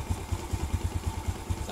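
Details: Suzuki Smash/Shogun single after fixing rough knocking timing chain noise with a bolt trick on the loose tensioner: even, regular thump five or six per second, no tapping or rattle; clean idle.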